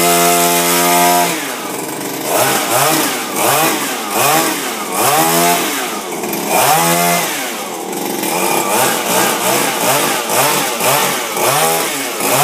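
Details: Refurbished Shindaiwa power broom two-stroke with new carburetor, gaskets and recoil, no air filter fitted: crisp revving up and dropping back, about a dozen quick blips each picking up smoothly; normal running.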